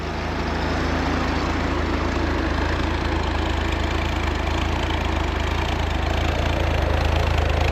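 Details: Chevy inline-6 250 cubic inch, cold start after fixing reversed distributor firing order, vacuum about 16–17, choke slowly opening: even, deep rumble, steady beat, no knocks, misses or stumbles; normal cold idle.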